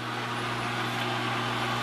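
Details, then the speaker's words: LG WT1101C/WT1201C washer before hard reset: constant low electric hum that never cycles off, even with washer turned off; drain pump runs continuously, owner believes a control board firmware error. "pump continuously running and it won't stop so this is the steps that I take in order to completely do a hard boot for a firmware reset"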